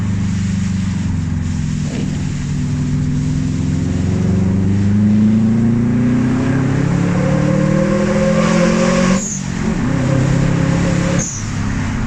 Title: Japspeed shotgun weird noise